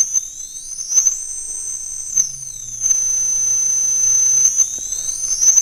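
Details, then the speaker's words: Castle Creations Cobra 10A ESC with outrunner motor on bench, unloaded: high motor whine holds one pitch then jumps abruptly dropping back into startup mode, no intermediate speeds; speed gap between startup and run modes. "you could probably hear that switch goes back down into our startup mode and there's a little bit of an RPM Gap there once you're loaded down you're probably not going to notice that but unloaded you can"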